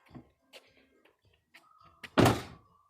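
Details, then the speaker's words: 2006 Buick Rendezvous left rear door, recorded outside low by the door: door shuts, then a thin tinny ringing buzz lingers briefly, loose cladding retainer clips rattling behind the panel; not noticeable from inside. "It's a tinny noise. You'll notice when the door is closing. You really don't notice it from the interior of the vehicle. But it's annoying as heck from the outside."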